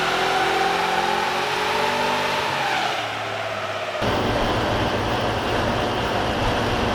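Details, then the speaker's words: VEE080, a boosted LS V8 drag car. Pulls hard under load, then stumbles and drops out before picking back up; earlier runs made nearly 480 at 14 psi. "oh right oh guys so we still have a few issues um you can probably hear from the footage it's breaking up it's causing a few issues"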